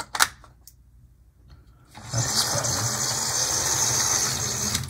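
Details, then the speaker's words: HO model locomotive, possibly fitted with a Lima ring-field motor, with the front truck possibly misaligned: thin, high buzzing whir that holds steady once moving; noisier than it should be, cause not confirmed. "is noisy if it has the lima motor in it that's not surprising it'll be the same one that's in that other one if it's a ring-filled motor"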